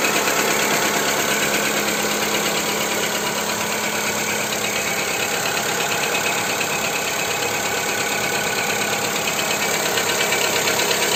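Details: Skoda Fabia 2 1.4 petrol engine knock, part 2, after Ceratec treatment: steady idle with fairly even light tapping about 170 per minute riding over it; knock of unclear origin.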